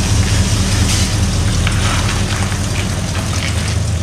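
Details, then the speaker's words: Carbureted V8 Bronco, already warm, restarted (carburetor jets possibly wrong, carburetor possibly from a 351 or 302): low steady idle with no misses or stumbles, running decently. "but as you can hear it's idling now and running pretty awful decent"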